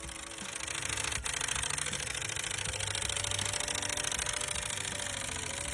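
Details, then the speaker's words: Engine ticking under the hood, described by the customer as sounding like a typewriter: quick, fairly even light ticking, about three or four per second, over the engine hum; source not pinned down. "Customer states, it sounds like a typewriter underneath my hood. Probably just needs a new battery."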